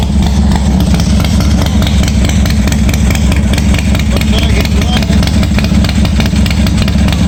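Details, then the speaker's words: 1986 Harley-Davidson Softail first start after wiring repair, gas added: loose, lumpy V-twin beat settling into a steady idle with low exhaust thump; starts and keeps running fine, oil pressure not checked. "so kill button works well looks like it started so i didn't check the oil pressure or anything"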